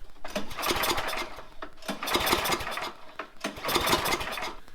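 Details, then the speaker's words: Craftsman MTD snowblower with Tecumseh engine, unused two years: about three long rope pulls crank the engine over without it ever catching; cranks but will not start, carburetor/fuel problem suspected. "all right seems valid it won't start so where do we go from here"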